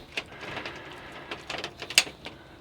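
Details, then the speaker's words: Bus door lock after lock replacement, tested with key: a few sharp, uneven clicks from the lock mechanism but no solid latch clunk; it clicks but does not lock. "I can hear it clicking. That should be locking."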